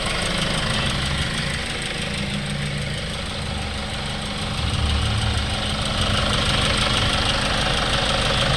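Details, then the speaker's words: Hyundai Starex D4CB CRDi diesel, replacement engine fitted for blow-by, new radiator, running a long while at normal temperature, no leaks or smoke: steady even idle clatter at constant speed, no misses, knocks or hunting; healthy. "kausok mga Sir kanina pa namin nirad test to Ayan pa umaandar tapos hugutin ulit natin yung breon wala na siy yan Wala na"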